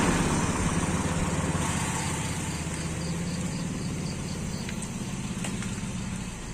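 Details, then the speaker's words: Toyota Kijang Super engine idling warm after an engine wash, radiator fan drying residual water, after a 1000 km trip: smooth, even low idle pulse, no knocks or ticks, insects in background; healthy, no problems. "Alhamdulillah tidak ada kendala mesin normal saja ini kena hembusan kipas radiator sisa-sisa Air ini akan mengering"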